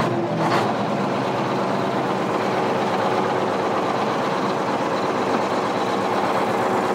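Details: International Harvester TD20E bulldozer, 13.0 L DVT800 diesel V8, 200 HP, saved from scrap, started without ether, blade in neutral: settles into an even, steady idle with good oil pressure. A buzzing or rattling noise was briefly questioned.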